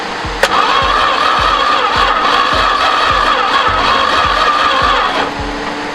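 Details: 1973 Duster slant six, unrun for 21 years, after plug-wire and vacuum-leak fixes: the starter churns evenly at about three turns a second with a whining drone, but the engine never fires. Cranks, no start.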